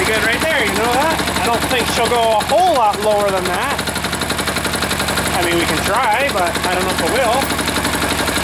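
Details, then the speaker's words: Freshly reassembled air-cooled diesel engine left idling and "somewhat happy"; steady, fairly even clatter with some wavering sounds over it, settling into a smooth idle. Normal idle. "oh I'm just going to let her sit there and run for a little bit and uh looks like it's somewhat happy sitting there"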